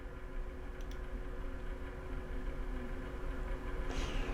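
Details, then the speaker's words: PC with a newly installed NVIDIA GeForce RTX 3060: low, steady whir with a faint tonal hum, building slightly, from inside the case; the owner doesn't understand why it makes the noise, and the speakers gave no audio. Whirring noise, cause not found. "I don't like that noise though. I really don't understand why it's making that noise."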